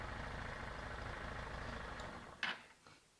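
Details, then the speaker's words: Motorcycle engine idling after the crankshaft balancer weight was turned 90° away from the crankshaft; the earlier engine noise is gone, even fast quiet beat with no gear whine or rattle, isolating the noise to the gear train. "vou dar partida na moto podem reparar que o barulho sumiu certo"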